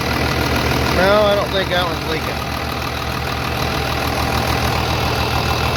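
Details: 3588 at 7,338 hours, idling on a freshly rebuilt engine with new cylinders and pistons; even, quiet idle at a steady beat, with a brief voice early on; a slight line leak was found, to be tightened; normal idle.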